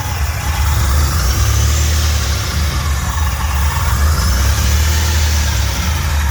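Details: Fully built 3800 V6 race engine on its first start after the build: steady low drone with gentle rises in revs, smooth, no tapping or rattles, no leaks; normal revving.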